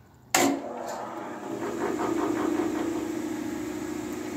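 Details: New Grizzly 14-inch band saw switched on and running without load: a quiet, even hum with no knocking or rattle, far quieter than an old Sears Craftsman 12-inch.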